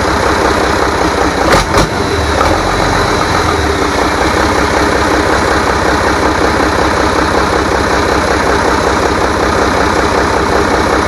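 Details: Rebuilt International DT466 diesel from a loader, previously knocking, first run after priming: strong, even diesel clatter at a steady idle after a brief early clank, no knocking or misfire; runs good.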